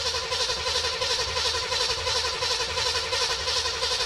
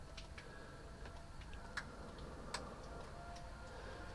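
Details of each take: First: 1973 Chevelle Malibu with a freshly installed 327 V8, all plugs in: even, steady cranking at about three compression pulses a second with no knocks or misses, 30 psi oil pressure at crank; starter turns it over healthily. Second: 1973 Chevelle Malibu with freshly installed 327 at first run: light, sharp ticks roughly once a second, not quite even, over a quiet low rumble; source unconfirmed, owner suspects the pulley, fears a bent crankshaft.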